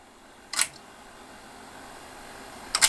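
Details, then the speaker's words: GAF model 102 Rols dictation machine, pre-restoration, after newly applied oil; scan mechanism now working considerably better with more exercise; two crisp light mechanical ticks about two seconds apart in a quiet room; stepping normally. "does it this working considerably better than it was at first sometimes it seems practice makes perfect of these old machines"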